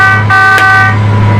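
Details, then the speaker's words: Combine, warmed up: loud steady warning horn over running engine when separator selected, engagement refused; owner guesses rear ladder must be up; after raising ladder and unfolding hopper it engaged. "tells me not to, so I'm guessing the rear ladder has to be up."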